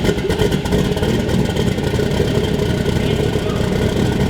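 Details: Volvo 240 wagon with a new 1000HP-capable Gen 4 LS V8, first start after swapping the crank sensor pins: a strong, even roar that swells cleanly with each throttle blip, no knocks or stumbles. Oil and fuel pressure good; running healthy.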